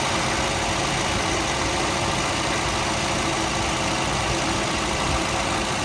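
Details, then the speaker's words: 1971 Volvo 142 B20B with 3236 carburettor, first run after pickup from original owner: steady even idle, smooth low drone, no misses, knocks or ticks; engine runs healthy. "who says the 3236 is a bad carburetor there you go that's a driver let's take her to Kyle meat huh sounds good too"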